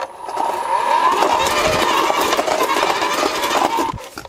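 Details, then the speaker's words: AEG 36V (2×18V) battery post hole borer grinding through gravel-filled soil, then hitting rock and kicking back hard. "oh see I hit a rock or something there and and it gave me a good kick there"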